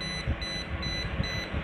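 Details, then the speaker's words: Sunfree test pen (voltage tester) held on a power socket cable: slow, even beeps about every 0.6 seconds over a steady hum when the tip is near the neutral wire, away from the live one; beeping speeds up near the live conductor. "Nah ini yang positif itu di bagian sini, untuk yang negatif itu yang jauh. Nah ini suaranya kan lambat,"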